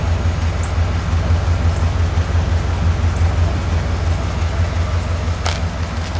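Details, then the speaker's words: 1991 Cadillac Brougham at idle, baseline before exhaust replacement; muffler installed backwards and upside down, resonator missing; about 68-70 dB with a distinctive beat about twice per second, owner thinks it causes droning near 59 mph. "you can clearly hear as well as see on the meas on the meter a distinctive beat sound about uh twice per"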